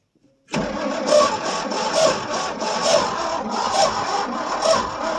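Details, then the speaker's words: 1973 Ford F100 390 FE V8 revived after about 30 years sitting, cold start, engine previously stuck and water drained from oil pan, oil pressure coming up: runs roughly with heavy uneven internal knock about once a second; owner suspects it locked up or blew up. "Well, that don't sound real good. Might have just locked up. >> Yeah, I don't know. It's act like she might have just locked up."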